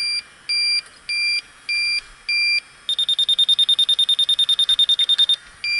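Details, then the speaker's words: Electronic refrigerant leak detector probing the coil of a York rooftop unit called for a refrigerant leak, on a windy roof. Slow high beeps jump to a fast chirping burst, then drop back; refrigerant detected at the coil. "But it'll give you a number display of kind of the leak rate."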